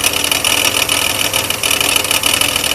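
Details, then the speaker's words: Oldsmobile 88 idling under a loud, fast, tinny engine-bay rattle. The owner suspects the power steering pump pulley, though the power steering works fine. "can anybody tell me what this noise is there something in my engine rattling like"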